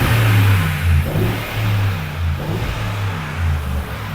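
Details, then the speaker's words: Mercedes-Benz G63 AMG V8 after misfire repair: deep burble through a few even revs with no stumble; the cylinder one fault was fixed with a new part and new spark plugs, engine light now off, sounding much better. "Engine light is off and the car sounds much better now."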